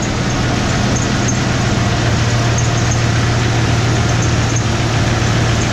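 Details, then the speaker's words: 1994 Ford F150 4x4 petrol engine idling with faint, high, irregular chirps over a low rumble. Alternator was just replaced. With the belt removed there is no squeak, so an accessory is at fault; owner suspects the pulleys and plans to replace them. "So in a couple of days, I should be getting the pulleys for this and eliminate that squeaking noise. I'll start it up and you can hear what I'm talking about. You can hear that squeaking noise."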